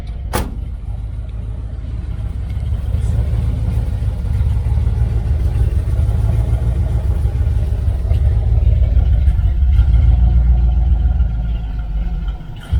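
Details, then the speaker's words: 1978 Dodge Aspen R/T 360 V8, four-barrel, just fitted with a new X-pipe dual exhaust and muffler: deep, even burble with a slight rise in revs, no rattles or leaks; normal, healthy idle. "It kind of sounds like my Chevelle. Though the Chevelle, I think I got like 2-chamber mufflers on there. Sounds really good. It actually sounds just like my Chevelle."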